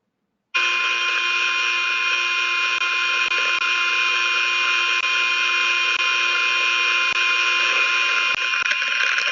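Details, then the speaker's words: Hydraulic relief valve heard with ultrasound: a steady high hiss with faint irregular crackles while it should be shut, meaning the valve is feathering or leaking internally past its seat; infrared check for heat suggested. "there right there well you've got that crackling that's where it's starting to feather so a relief valve should either be open or closed and so if you come up on one that's got that crackling then it's it's feathering for some reason or is it leaking okay"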